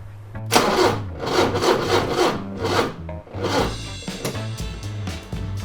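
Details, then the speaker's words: 40-year-old Porsche 944 cranking with fuel pressure gauge fitted: starter churns in a steady rhythm, engine never fires; no fuel pressure at the rail, fuel pump suspected. "So there's literally no fuel going through the rail, which we'll jump the fuel pump."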